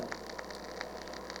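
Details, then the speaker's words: Early-1970s Automatic Radio PSR 2467 AM radio/8-track stereo: steady hiss over low hum with faint crackles from the speakers even at zero volume; amplifier fault suspected, noise probably coming through the power supply. "okay so we're getting a lot of noise even with the volume turned right down to zero"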